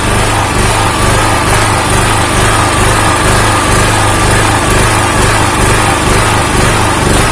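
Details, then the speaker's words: Honda GX160-type engine on a 2000 W generator: a steady single-cylinder drone whose low end pulses up and down about twice a second. Engine speed is hunting instead of holding, cause not yet known. "ya begitulah teman-teman sudah melihat khasnya naik-turun naik-turun"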